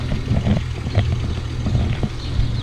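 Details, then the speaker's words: 2008 BMW 335xi coupe at about 88,000 miles, cold start at idle: uneven beat with occasional stumbles and light injector-like ticking over a low rumble, plus some rattle. A small misfire and rough idle that smooths out completely once warm. "it does have a small misfire I could hear it a little bit of an injector tick"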